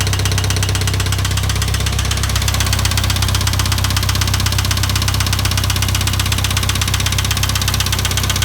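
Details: IH 2544 tractor engine idling with a steady, regular knock about 160 a minute; source still undetermined.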